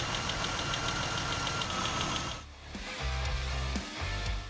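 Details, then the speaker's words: Porsche 996 engine: light, quick, even ticking over idle; hydraulic lifter tap, when dirty oil blocks lifter holes or one-way valve so oil leaks out, leaving a gap behind the valve. "it's leaving too quickly and leaving a gap behind the valve and that's when you hear someone saying oh the tappets have gone"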